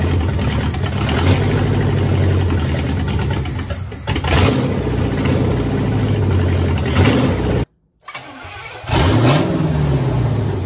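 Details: 1967 Pontiac Firebird, newly installed 1977 Pontiac 350 V8, fuel lines clamped: cranks briefly, catches and settles into deep, even rumble with a couple of blips; starts and runs, vacuum leaks still to fix.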